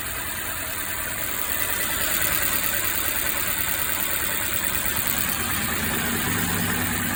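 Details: Mercedes M264 inline four-cylinder petrol engine idling with uneven lumpy beat, about three stumbles a second: misfire attributed to a damaged cylinder head valve, head to be removed for inspection.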